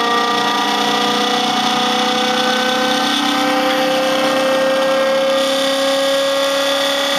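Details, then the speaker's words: Muller generator replication (RomeroUK design), input raised toward 12 volts and brought up to speed: high steady whir rising in pitch with a constant dry rattle from loose internal pieces that should quiet once everything is tightened. "it's uh fairly noisy um I've got some loose pieces in here that rattle so this always sounds like it's going to fly apart when I bring it up to speed as I button everything down tighter uh it will get quieter"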